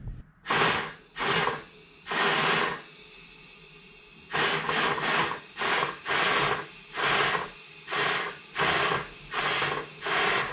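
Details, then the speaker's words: Mitsubishi Evo 8 track car after retune and fuel system upgrade, fuel smell: compressed air blown into the vent line gives about ten short, evenly spaced rushing-air bursts into the fuel tank; air and fuel smell return, so the tank vent flows freely, not blocked. "Alright, so I'm just blowing compressed air in here, and you can hear the air going into the fuel tank. So yeah, no, it seems to be working to me."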